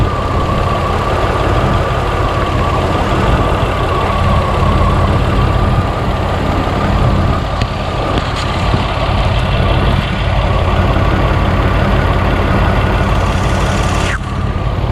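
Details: Barn-find Buick Regal Turbo after new plugs, wires, fuel pump, filter and oil, with the cylinder showing 150 psi with oil added: a low, uneven, stumbling idle, still misfiring on one cylinder.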